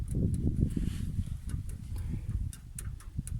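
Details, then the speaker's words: MTZ-80 tractor intermediate housing at idle: low uneven idle with irregular knocking rattle from the front-drive reduction gear wobbling. It runs smoothly at high steady rpm. "но на холостом ходу, ну, он просто работает, скорости нет, и шестерня начинает шататься, вот откуда берется дребезжание."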